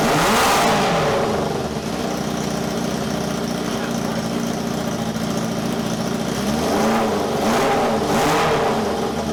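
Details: 1978 four-cylinder cafe scrambler build revving with a sharp ticking puff on each firing pulse and an uneven beat. A valve was checked and is not stuck, and all four exhausts are hot, but it still misfires.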